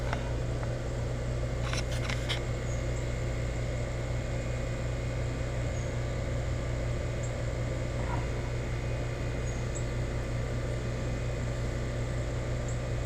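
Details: Newly installed Rheem EcoNet 3-stage inverter outdoor unit speeding up to high stage with inverter whine, indoor fan at high stage: steady low drone with no rattles, knocks or squeals; normal, quiet compressor running.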